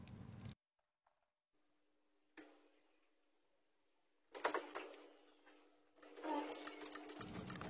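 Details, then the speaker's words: Honda Scoopy: ignition, horn, turn signals and brake light work, but pressing starter gives only quick dry clicks from starter relay area, no cranking; battery reads over 13 V and swapping a known-good battery changes nothing. "hasilnya sama aja ya cuma terdengar suara cetik-cetik di bagian relay untuk aki berarti tidak ada masalah ya"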